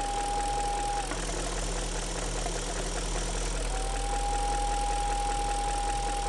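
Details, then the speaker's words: 1999 BMW 540i M62TU V8 at idle: thin steady high whistle that drops out briefly then returns, seeming to come near the manifold; quieter when covering the back cap of the diaphragm. Whistle at idle, cause unknown. "noise. Seems to be coming close from the manifold somewhere."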